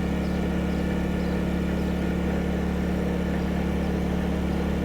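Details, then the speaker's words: Honda 2000 inverter generator running a camper's Dometic Evolution 15,000 BTU air conditioner fitted with a MicroAir Easy Start: constant, even drone holding steady speed after a slight ramp up, no light flicker; normal running under load. "Okay, so there was the slight ramp up. I didn't see the light flicker. So, that is a Dometic evolution 15,000 BTU on our Honda 2000. Not bad."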